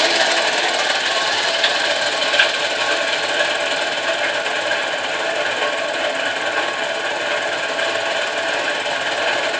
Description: Turns out, it has a bad rear crank bearing.